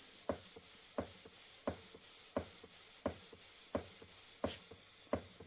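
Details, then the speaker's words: Model 19th-century Mary beam engine running on compressed air after oiling: sharp even exhaust chuffs about 87 a minute like a small steam locomotive, no knocks; normal exhaust beat, not an air leak. "That's the exhaust. Hear that? It's like a steam train. Actually sounds better when you can hear it. If that was a steam train, that's what you'd hear."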